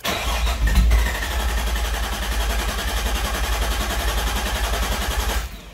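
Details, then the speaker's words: R33 Skyline GTST after cleaning gunked idle air control valve and setting idle screw toward 1000 rpm: starter churns about 3.5 beats/sec for five seconds, never catches; crank no start, owner suspects the idle air screw needs backing out. "okay it's not starting at all all right so uh we did something"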